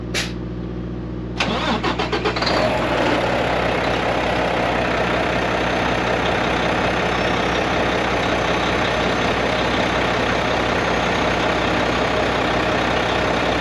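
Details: Mack MP8 / Volvo D13 truck diesel after a Volvo specialist sorted the injectors to cure its long-crank hard start: key turns, catches after a short crank and settles into a steady even idle with no miss or knock; normal start.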